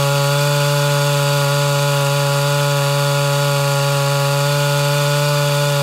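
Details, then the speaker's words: Mildly ported Homelite Super XL Auto chainsaw, loose chain, cutting: steady high clean scream with no four-stroking even when pressure eased; high-speed mixture set a touch too lean. "so [Music] all right so that's just a touch leaner than i prefer uh it didn't go into four-stroking at all whenever i kind of released a little bit of pressure"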